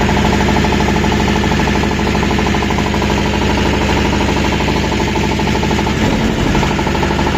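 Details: Refrigeration unit diesel engine running; loud steady run with a rhythmic knock about three times a second throughout; engine knock, cause unclear.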